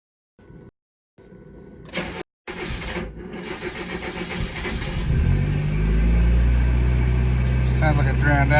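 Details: Mazda Miata 1.6 with SpeedEFI being tuned for cold-start issues after sitting 12–24 hours: engine cranks briefly, catches cleanly and settles into a steady, even idle; this start sounds normal.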